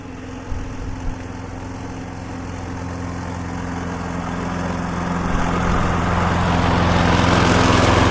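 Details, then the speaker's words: Viking lawnmower, suspected bent crankshaft ruled out, relatively new plug, auto choke: steady even single-cylinder drone building smoothly with revs, no shaking or knocking; smoky from tipping, no longer vibrating, running normally. "Okay, it's a bit smoky cuz it's been tipped up on its side. So, I just want to let it run for 5 minutes and see if it clears. Before I do, I want to check the oil, but it's certainly not vibrating like it was."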